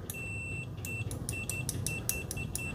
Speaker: hey fairly fast latchy not really loud